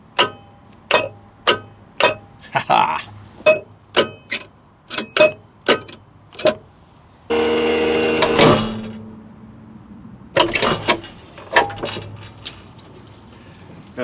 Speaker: when I hit the stow button that solenoid activates releases that clip on the floor and you'll see that footplate pop up a little bit